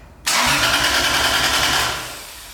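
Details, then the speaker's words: Lexus IS300 with 1JZ engine, newly fitted Link G4X ECU on base map: starter spins engine in a fast even churn under loud hiss, never fires; crank, no start, cause not found. "cool we have not figured out the no start issue"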